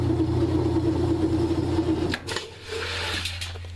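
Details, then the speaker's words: Kenmore/Whirlpool washer, lid switch bypassed, after replacing the broken motor coupler that stopped it spinning: even motor hum and a steady whirr for two seconds, then a smooth drop-off; the drive turns cleanly with no grinding or slipping. "the washer is spinning so that coupler you can probably find them on you know any site there's a number of sites that sell you know a motor coupler for a whirlpool Kenmore washer"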